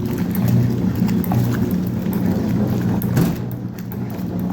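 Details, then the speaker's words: Vintage Whirlpool washing machine on its first fill, fed from a garden hose and not holding water well, washing dirty shop towels with a little soap: steady low motor hum with rhythmic sloshing as the agitator churns the load, normal wash action. "I'm just going to feed them in there. And just look at how well that does. It's freaking destroying those."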